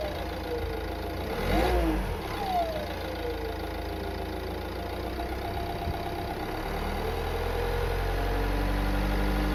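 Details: 2014 Renault Scénic III 1.6 dCi 130 diesel idling and briefly revved, with a faint regular ticking about four times a second; cause unclear, owner suspects hose, turbo or pulley.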